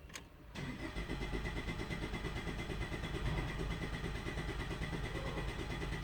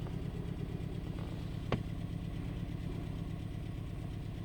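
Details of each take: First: 2013 Ford Escape 1.6 L turbo gasoline direct injection, misfire on cylinder 2; scan-tool relative compression test, throttle floored, cranking 10 seconds; even starter beat about three pulses a second, no uneven drops; compression good, normal cranking. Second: 2013 Escape 1.6 L turbo gasoline direct-injection idling with an uneven, stumbling beat; misfire test isolates cylinder 2 (codes for cylinders 2 and 3), compression good, exhaust/muffler leak also present.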